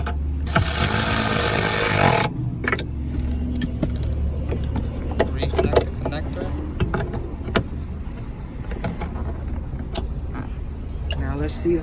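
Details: Ford Flex with intermittent crank-no-start, after replacing the fuel pump control module on the right C-pillar (the pump itself was fine): a starter whirr under two seconds, then it catches and settles to a steady idle; starts properly.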